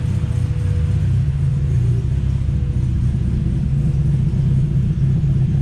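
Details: Right-hand-drive turbo Honda Civic on a cold start: a deep, lumpy, unsteady idle that barely holds. It runs rough while cold and smooths out once warm.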